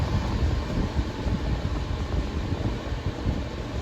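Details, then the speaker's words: Patton fan on medium speed, after cleaning the fan shaft: low, soft motor hum with steady air rumble, no rubbing or clicking; runs normally. "yeah i can still hear the motor humming and low"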